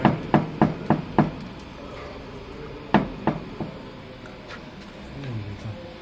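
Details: Honda Civic 6 exhaust knocking: sharp hollow metal knocks in quick bursts of four or five, then a pause; owner suspects something on the exhaust is knocking.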